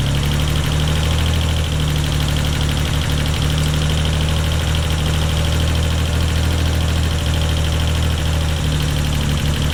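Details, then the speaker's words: Freshly built Nissan 300ZX (Z32) VG30 at idle in the garage after limping off the highway: loud, steady droning beat with an uneven hollow note, possibly lost an entire bank of cylinders; misfire and ticking traced by teardown to valve damage. "it sounds like it might have lost an entire Bank of cylinders again possibly"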